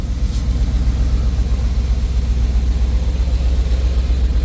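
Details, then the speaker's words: 1980 Chevrolet Scottsdale square-body V8 pickup, restarted after 26 years parked, running 10–15 minutes: deep, steady burble at idle with no ticks, knocks or squeals, belts quiet, no blue smoke; normal clean idle. "And even underneath it there, like there's no smoke or nothing, no blue smoke or anything coming from here. Motor's running super clean, super nice."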